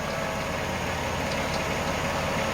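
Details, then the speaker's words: 2005–2010 Jeep Commander idling after rack and pinion replacement: thin, faint high squeal from the belt drive; owner suspects an alternator bearing, fluid on the belt considered doubtful. "Somebody's got an unhappy squeal. Could have been fluid on the belt too, but that's doubtful."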